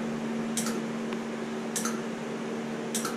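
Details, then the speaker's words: Suzuki evap smoke test for small-leak codes P0456/P0457, scan tool connected: smoke machine pump gives a steady low hum with a sharp click about every 1.2 seconds as it cycles on and off. The system is not holding pressure; a leak is somewhere. "you see it wants to throw and smoke but there's a leak somewhere okay you see what it's doing click click it stops listen to it"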